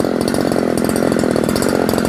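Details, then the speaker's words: Used Robin NB411 two-stroke brush cutter (premix fuel), genuine ignition coil and carburetor, replaced tank, handlebar and guard: fast, even buzz at steady pitch, no misses or knocks; idles well; normal running. "เดินเบาได้ดีเลยนะครับตัวนี้เป็น2จังหวะผสมมอตรอย่าลืมผสมนะครับ"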